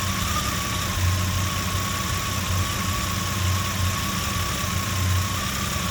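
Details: Jeep Comanche 4.7L stroker six-cylinder with a rough, lumpy idle that swells and sags about every second and a half, with a faint knock underneath.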